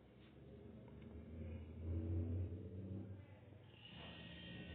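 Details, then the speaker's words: New replacement refrigerator compressor (original had a broken valve, fridge did not cool) test-started out of the unit: low motor hum swells and settles into a steady drone building pressure until discharge releases; motor efficient, normal start. "ese momento arrancó y en unos momentos tiene que disparar el seguro ya listo amigos el seguro lo cual nos indica que el motor está eficiente"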